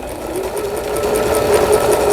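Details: Singer Computer 9780, Japanese-domestic, used about 10 years, after repair of a seized mechanism (needle-damaged bobbin case, misangled hook race): even stitching at about five light clicks a second over a smooth motor hum, no rubbing.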